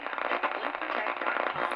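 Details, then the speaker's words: Old radio tuning dial potentiometer before cleaning with electronic cleaner fluid: irregular dry crackling and scratching as the dial turns, with no steady tone. A dirty, worn pot. "I'm going to attempt and I'm going to attempt to clear the potentiometer which is really what is attached to any dial that allows your radio to tune"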